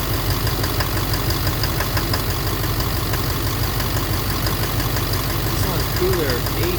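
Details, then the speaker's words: 2009 Silverado 3500 Duramax LMM diesel, 59,900 miles, cold-start morning, idling in neutral: steady clatter with sharper knock about twice a second, louder in gear; suspected engine/bottom end, injector or cracked flexplate considered, oil analysis clean; cause unknown. "Alright, so it's knocking and put her into there's neutral. Oh. It's still there in neutral when I first started this morning, yeah. But obviously once you put it in drive or reverse, it's very loud."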